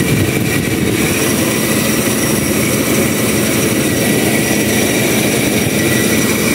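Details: Toyota Revo with aircon on: engine runs with a thin steady high-pitched squeal over it, disappearing with AC off; accessory belt squeal under AC load.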